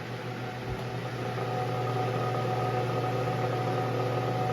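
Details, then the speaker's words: Lasko wind machine fan humming: a steady low electrical hum with faint buzz only while the motor runs, stops when the fan is tilted up; owner suspects the stator, bearings seem fine; cause unclear. "seriously it only does it when the motor is on I want is this Stater going out like what happens I like this too bad cuz this is a pretty good fan what is that sound is that the bearing"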